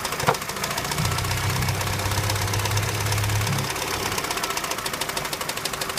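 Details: Opel Astra H 2006, Z16XEP engine, knock began around 170,000 km: irregular light tapping about twice per second at idle; shop suspects intake manifold needing cleaning and Twinport flaps, camshafts and pistons reportedly fine; engine knock, cause unconfirmed.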